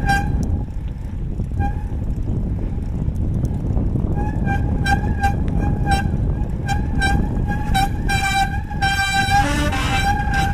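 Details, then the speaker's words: Mountain bike disc brake ridden out after working the CRC De-squeak compound into the rotors; in low gear, pedalling against the brake, sharp high ringing squeal comes in bursts at the start, expected before it fades. "Once again, it's going to squeal in the beginning, so don't be alarmed."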